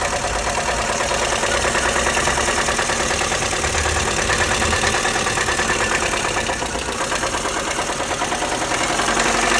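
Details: Lada Kalina 8-valve engine at idle with a repeated knocking tap a few times a second, clear over the engine note. The owner asks what it could be, and the source of the knock is undetermined: engine knock.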